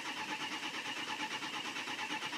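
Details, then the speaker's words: 2006 Ford 6.0 Powerstroke diesel crank no start: steady cranking pulses about eight per second, no catch. FICM voltage holding, sync, IPR, clatter and fuel present, but ICP only about 117–270 psi; low injection control pressure, engine to be torn down. "okay I have a low injection pressure issue cuz I have sink I have thick and voltage I have the clatter I have fuel so I'm going to pull this one apart and see what's up"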